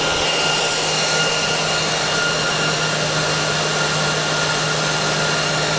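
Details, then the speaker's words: Dell PowerEdge 2950 II server after power-up; loud even air rush with thin steady whine, fans at full speed after startup, slowly ramping down; normal. "we're actually currently on full fan speed at the moment so that's what it sounds like you'll hear it slowly ramping down"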